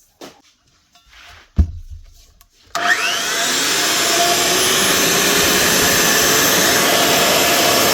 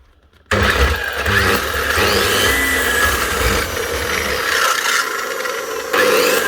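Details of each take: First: Makita GA9040S 2400W angle grinder with Laserchaser wall-chasing head, after new head bearing fitted: quick spin-up to steady, smooth high whine, no rumble or rattle; normal running, ready for work. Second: Makita GA9040S 2400W angle grinder with Laserchaser wall-chasing head, before repair: spins up to a rough, gritty whir with steady rattle; bearings gone in the gearbox head, full strip job.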